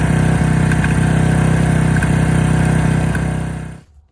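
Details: Honda Benly 50S engine at idle: small rattles with a regular knock about four per second, then dies away. The cause was crankshaft play; replacing the crank apparently fixed it.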